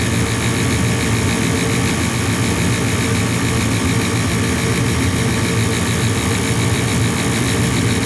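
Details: Gas furnace after gas valve replacement, manifold pressure about 2.8 being adjusted to 3.5: even steady blower roar with no knocks or surges while waiting for the hot surface igniter; inducer fan runs normally.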